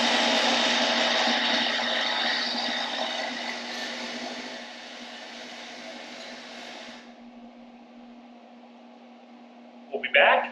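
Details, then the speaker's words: Pellet grill combined from Pit Boss and Monument parts, first power-on: harsh raspy buzz with irregular ticking over the fan hum, then dying away; blower fan blades striking wires wrapped in the fan, fixed with zip ties. "shouldn't be making that noise attempt number two those little fans that we had talked about apparently need to make sure all the wires are not wrapped up in the fans before you turn it on"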